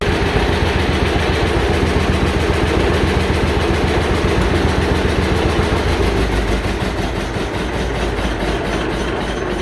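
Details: John Deere Model A tractor, two-cylinder, at idle just after start-up following generator testing and a new voltage regulator install. Slow, even putt with a steady beat and no misses or knocks; the generator is charging and the engine runs smoothly and healthily.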